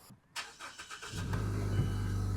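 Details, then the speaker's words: 2013 or 2014 Mazda CX-5 that stalled in drive with high idle and a misfire, after a new OEM MAF sensor: short crank, then a low, even idle with no stumble. Normal idle, check-engine light still on. "and look at that hot damn now it's running fine"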